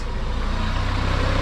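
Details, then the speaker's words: Honda B18C1 GSR engine in an AWD CRX on its first start, run briefly with no coolant; it gives an even, steady low idle with no ticking or knocking, and is quiet and healthy. "super quiet we don't have coolant in it so i'm not going to run it for too long but yo the engine sounds freaking amazing"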